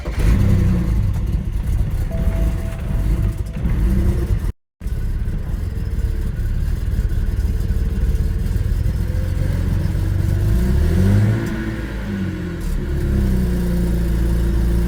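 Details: BMW with N54 engine, ongoing fuelling issues: rough start then an uneven, stumbling idle with irregular beats and wandering revs; owner suspects the high- or low-pressure fuel pump, not confirmed.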